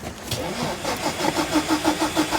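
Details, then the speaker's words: Nissan build being checked (R34 RB28/S13 SR20/Z32 KA24DET swap), on a jump pack after swapping a part: steady cranking about five beats a second, never fires; crank, no start, later traced to a faulty injector. "Crank, no start, hell yeah."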